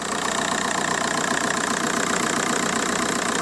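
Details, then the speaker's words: VW Golf Mk4 PD130 diesel, just started after injector loom replacement and EGR valve refit: even diesel clatter at idle, steady rhythm, no misses or knocks; "healthier, listen to that baby purr"; normal idle. "healthier listen to that baby purr"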